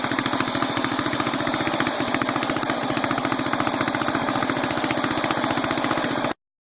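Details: 12.5 hp flathead mower engine ("biohazard"), sat about three weeks, fast uneven loping chug near 220 per minute, stumbling and popping through the carb and wanting to die off throttle. Owner suspects carburetor; rust and debris found in bowl, to be cleaned.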